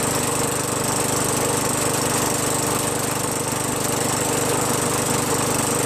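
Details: Craftsman 21in push mower with a 5.5HP Tecumseh engine that previously started only when primed, then stalled. After a quick carb bowl cleaning with carb cleaner, fuel flows and it holds an even beat of about two per second, no surging or stalling. Normal running.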